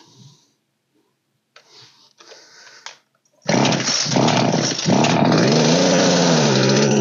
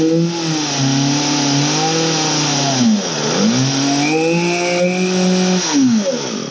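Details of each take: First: Old Poulan 3816 chainsaw (16-inch bar) during carburetor tuning after repair: fires after a couple of pulls and settles to a buzzing run that wavers; high-speed set roughly, low-speed mixture still off and idle too low. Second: Old Poulan 3816 two-stroke chainsaw, 16in bar, after repair and carburetor low/high/idle adjustment: revs up cleanly, drops to a steady idle and picks up again without stumbling; running healthy.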